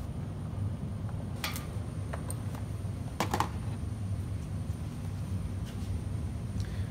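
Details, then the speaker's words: MIG welder, correctly set, welding the last section of plate: only scattered sharp pops a second or more apart over a steady fan hum, no bacon-frying sizzle. The bead sits up on top of the metal, showing an unstable, erratic arc. "okay so you heard that right and uh that was that was more back to the uh where the pops are real far apart definitely not bacing sizzling and frying"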